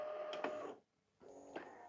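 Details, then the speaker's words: VCR (LG or NEC unit) fast forward: clicks and mechanism shuffles, short pause, then steady rising whir as tape spools up; fast forward ran fine to tape end, though rewind later slows and stops short (owner suspects belt or dirty mode switch). "We'll fast forward, and it does its little get ready noises, and then it actually winds up and takes off, as you can hear. And I ran that right through to the end of the tape before. That worked fine."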